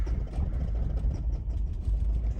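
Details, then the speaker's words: 2008 Subaru Impreza flat-four with a dead ignition coil and plug wires pulled, running on one cylinder: deep, lumpy, uneven chugging with gaps between firing pulses. Severe misfire. "one cylinder it is running off one cylinder it's not happy"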